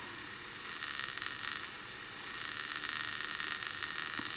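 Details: HIFIVOX MH2000 reel-to-reel tape recorder with all-new electrolytics: hissy crackle with fast rasping spits through the speaker, sparking brush motor noise getting into the preamp, likely via power supply lines; motor now on separate supply.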